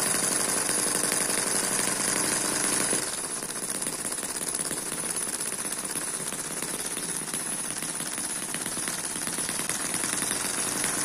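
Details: Eachine EM1 (same as M14) 4-stroke opposed double-piston mini engine running normally at a good moderate speed with exhaust popping; fast, even buzz about four beats a second, no misses or knocks, like a sewing machine.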